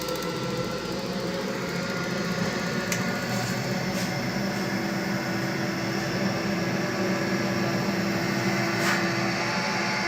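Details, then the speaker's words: Viessmann Vitopend 100 A1JB boiler, once switched on: the three-way valve hums steadily; the sound changes when the valve is moved and stops when it is pressed; cause unknown before disassembly and cleaning. "В общем, гудит трехходовой клапан. Вот мы его шевелим. Он изменяет звуки. Если надавить, то гул этот пропадает. Отпускаю, вот, начинает гудеть."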